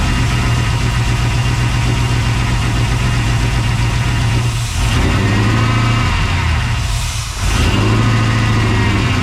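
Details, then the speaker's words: 1992 Chevy C1500 with LS1/T56 swap, first start on standalone harness without radiator, run a few seconds, some header smoke: deep steady V8 idle holding even, brief dips, no knocking or misfire; normal idle. "but I'm going to call that good she runs that start was just so I can hear it run"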